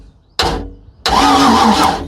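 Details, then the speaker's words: Boat, after a loose wire was found: two short cranking bursts with crackling spark snaps over the starter whir; great spark present, engine turning over, before water and fuel hooked up. "I hear zapping which means I have spark. Oh yeah, I got great spark."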